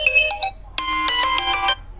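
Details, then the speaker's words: Vivo phone with a low, distorted speaker, after repair without replacing the speaker: ringtone plays loud and crisp, clean bright melody with no rattle or muffling; speaker now normal. "यह देखो। दोस्त, हमारा operation सफल हो गया।"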